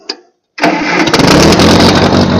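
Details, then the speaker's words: Ferguson TO-35 (Massey-Harris-Ferguson) tractor after distributor replacement and fuel line and sediment bowl fixes: brief crank, then it catches and settles into a steady, even idle with no misses or knocks; sounds pretty good. "But regardless, we got her running, and we'll fire her up."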